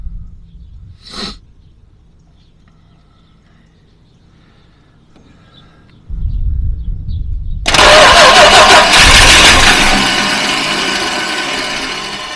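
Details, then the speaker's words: 1967 Dodge Charger 383ci no-crank: with the starter relay bypassed by jumping straight 12 V, quiet then a short starter whirr and the V8 catches to a fast idle; the faulty starter relay is the cause. "okay all right that's the problem it's not getting so it's that relay that's causing the problem"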